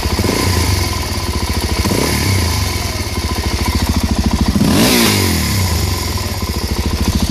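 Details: Suzuki DRZ400SM single-cylinder motorcycle thumping with a couple of throttle blips; a rough clattering noise suddenly started appearing on throttle release, cause unknown.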